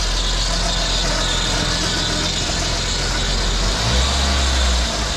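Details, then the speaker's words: PT Cruiser GT 2.4 turbo on jack stands, in gear after replacing a CV axle with stripped splines that caused grinding: steady even hum, wheels turning, no grinding or clicking through second to fourth; motor mounts noted as shot. "Second gear. Beautiful. Third, fourth, yep. That's good. We got all the gears, we're good."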